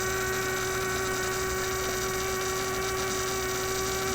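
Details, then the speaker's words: Constant steady tone with fainter higher overtones from a 1967 Heathkit Electronic Projects Kit AM transmitter build; the noise persisted with the circuit disconnected, showing the bench power supply was producing the hum. "discovered something new the single wire power supply okay so my supply is simply putting out this noise here duh okay the whole time we've been listening to my virus"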